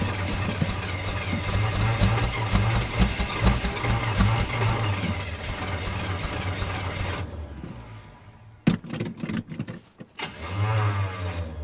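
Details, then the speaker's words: Chevrolet Suburban (rings said to be shot) after its wiring was reconnected: long, steady starter churning at about two beats a second with no catch, then it stops and clicks. Crank, no start; the owner plans new battery terminals and to recheck the distributor. "Ah. Yep. Well, that's not working."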